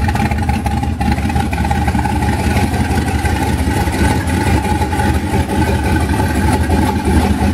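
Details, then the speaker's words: 1991 Mazda B2200 with twin-turbo 6.0 LQ4 V8 swap, 80lb injectors, stock 2002 GM computer, first startup after rebuild: loud, uneven, lumpy V8 running, untuned, with assembly lube smoking off. "still needs to be tuned but very exciting to hear the motor finally run after rebuilding the stupid thing"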